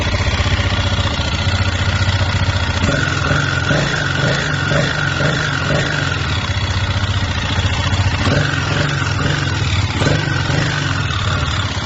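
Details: Idling single-cylinder 164FMM motorcycle engine with a steady, dull metallic knock; after a broken third gear wrecked the case and piston, gearbox, cylinder, head and piston were swapped with the knock unchanged, and only replacing the crankshaft cured it.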